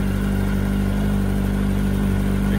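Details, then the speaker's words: 2004 Yamaha R1 with reported knock, loaded in gear until stall: steady engine with light top-end tick, no heavy bottom-end knock; not a bearing knock, owner suspects tensioner. "Aha, you heard I loaded the bike till it died. It's not a bearing knock."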